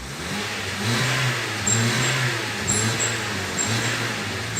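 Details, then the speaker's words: Honda New Civic with aftermarket sport exhaust tip: whistle on acceleration, not from the tip; engine hesitates when accelerating and the turbulence whistles. Engine revs with low rumble while a thin high whistle comes and goes as throttle opens. "então quando você acelera o carro é uma vez e se faz por causa dessa turbulência da a falha ele faz um pouquinho do barulho Tá"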